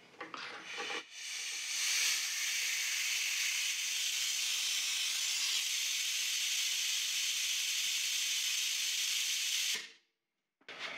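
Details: Air cooler nozzle added to a commercial-grade bandsaw, solenoid-switched from compressor, saw motor unplugged; sharp steady hiss starts, holds evenly about nine seconds, cuts off cleanly, normal flow.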